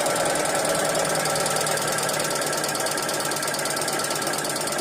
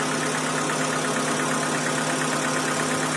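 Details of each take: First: 2012 Hyundai Accent petrol/CNG: fast, steady metallic clatter about three ticks a second over the idle, very bad top-end noise; sticking hydraulic lash adjusters, bearings of a motor also reported bad. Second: 2012 Hyundai Accent petrol/CNG, brought in for a bad engine noise, restarted after the tappet work: a smooth, even, quiet idle with a steady hum and no knocking or tapping; normal idle after the repair.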